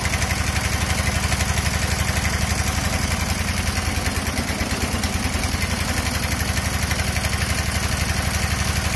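Even, uneven-powered thumping beat around three per second with little bite to each stroke, consistent with an engine lacking compression.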